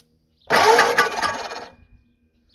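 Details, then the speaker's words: 59AB flathead engine cranked over with ATF mixture poured in, first turnover; brief cranking burst with rapid metallic clatter on each turn; a bent fan blade found to be striking something. "the fan hitting shouldn't be hitting anything something hanging down I think it's just the sound of the fan go again I hear H something it's clanking on something is it bent one of them bent"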